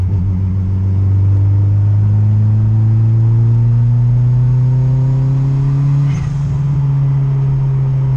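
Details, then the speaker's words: Honda Integra turbo build on Crome anti-lag tune, around 2500–3000 rpm coming into boost: strong engine note climbing steadily and pulling cleanly without misses; slight boost creep and rich up top noted, rev limiter set near 7500–7800. "she spools right up I mean we're like 2500 three grand listen to the blow up home hang on I'll give her a little more so you can hear the blah felt the block all of is so freaking loud in this thing"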